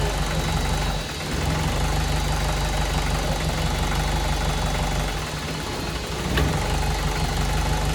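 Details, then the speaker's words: VW 1.6 NA diesel-swapped Ford Ranger, first start after rebuild following a shattered cylinder 1 exhaust valve, new piston and cylinder head: heavy, uneven thrum shaking far more than normal; cause not pinned down. "yeah normally vibrates a lot but that seems like a lot more than normal"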